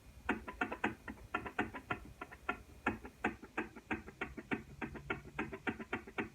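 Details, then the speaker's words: 2006 Kawasaki Brute Force quad that developed a tick/knock, engine off and crank rocked by hand: sharp loose metallic clicks; cam chain tensioner first suspected, owner now suspects lower rod bearing before teardown. "pretty sure it's a lower rod bearing but we'll know soon enough"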